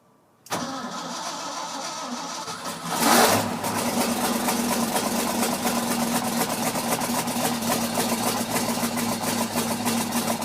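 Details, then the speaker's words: Ford F-600 truck after welding repair and reinstalling driver-side exhaust pipe: cold start, fast cold idle with faint rapid exhaust tick; small exhaust leak remains, gasket fit suspected. "well I think we fix the majority of exhaust leak I mean it's still there a little bit not as bad but you know overall I'm pretty happy with it"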